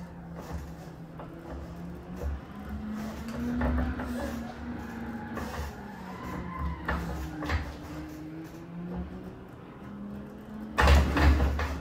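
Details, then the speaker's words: DIY 2DOF motion sim rig after moving to an STM32 F4 and replacing potentiometers with magnetic shaft sensors. Low servo hum rising and falling in pitch as the rig moves, with no high beep or whine: normal servo motor operation. "I will let you have a listen to hear that there is no beep"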